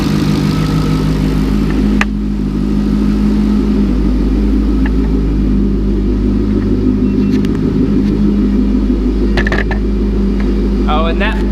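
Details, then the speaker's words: LS2 long block with turbos, idling smoothly at 40°F without smoke; faint electrical buzz is the electric oil scavenge pump returning turbo oil to the engine; engine sounds healthy. "that buzzing [Music] noise that's the oil scavenge pump I have an electric pump that sucks the oil out of the turbos and returns it back to the car so that buzzing sound is just the the oil scavage pump"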